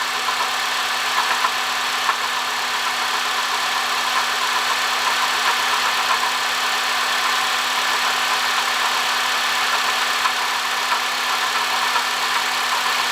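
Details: 2005 Honda Odyssey (registered Nov 2005, 268,167 km, CVT) at steady idle: constant droning tone with a rough, gravelly hiss from a failing water pump bearing; replacing the water pump, thermostat, thermo switch and coolant cured the noise.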